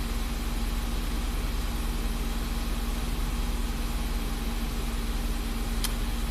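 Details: 2006 Ford Escape with prior electrical faults (dead battery, cluster out, burning smell) idling after restart: smooth, even idle, steady low hum, no knocks, ticks or whine; charging and engine sound normal.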